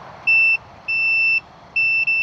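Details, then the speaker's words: 1982 Yamaha XS650 Heritage Special with no spark and no start, new battery, coil and plug cables: three steady high beeps from the meter showing continuity in the kill switch even when off; switch suspected stuck or dead. "you don't hear that no there's continuity totally even in off even with it off yeah well wait a minute that might not be right"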